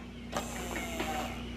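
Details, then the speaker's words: Suzuki Gixxer after replacing blown 30 A starter relay fuse while hunting a short, key on: brief whir and faint clicks over steady low electrical hum, fuse held, gauge cluster on; normal key-on electrical prime. "holy cow guys it is working the fuse did not pop gauge cluster is working over here is working this is good news"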